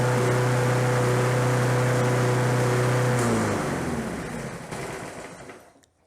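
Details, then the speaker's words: Lawn Boy 21-inch self-propelled walk-behind mower, found discarded by the roadside and given fresh gas; the owner felt little compression on the pull. It holds a steady, even hum for about three seconds, then coasts down at shutoff: running cleanly, normal. "interesting like i say this is out on the side of the road with the trash and it runs"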